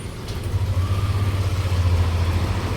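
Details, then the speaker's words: Yamaha Aerox scooter at about 20,000 km, CVT repaired (was shuddering on takeoff with a partly grabbing carbon clutch; cleaned, stock parts refitted, seal replaced). Rear wheel spins up with an even, steady drone and no shudder. Normal CVT clutch operation. "นี่ครับทำเป็ดล้อหลังจะต้องนิ่งๆแบบนี้เลยนะครับการล้างชุดข้างที่ดีนะครับหรือชุดข้างไม่มีปัญหามันต้องประมาณนี้ครับ"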